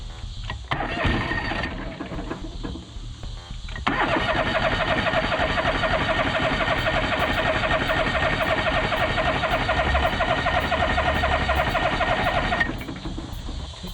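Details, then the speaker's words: John Deere 425 all-wheel-steer lawn tractor: steady fast cranking, about four turns a second, never catching; no fuel from the fuel filter and the tank dry though the gauge showed fuel; fuel starvation, crank no start. "all right so we're giving it some gas to see if that makes a difference cuz we um checked at the fuel filter and no gas was coming out I checked in the gas tank and it's dry even though the gauge said it had"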